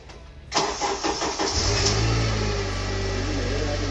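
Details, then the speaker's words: 2008 Honda CR-V, stored used replacement engine that cranked but would not start because of gummed, clogged injectors, after swapping in the injectors from the blown engine: brief crank, catches within a second, smooth steady idle; normal start and idle. "Just like that, we got the engine started, and then we topped up all the fluids again."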